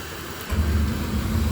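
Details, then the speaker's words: Oil burner with an intermittent shutoff, running fine on test, pump steady at 140: the ignition is heard, the motor hums, then the flame lights off cleanly into a low steady roar. Normal ignition and light-off. "I can hear the ignition. Motor comes on. Hasn't landed on any kind of dead spot."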